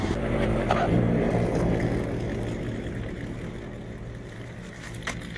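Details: Etesia Bahia ride-on mower cutting grass and leaves: steady engine drone holding speed while cutting, then easing off gradually with no misses or knocks. Normal running under load.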